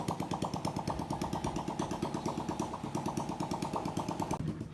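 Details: Honda Biz 125 smoking, with engine noise: small single thumping at idle with uneven rattly beat over exhaust pulses; abnormal engine noise, cause unclear.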